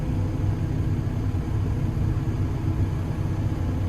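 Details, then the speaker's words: Develon DX160-7 excavator that had stopped slewing with a bang, after repair, swung a full circle: a smooth low rumble with no crunching or grinding; the slew drive sounds healthy. "Anyway, we've been all the way around. There's no crunchy crunchy"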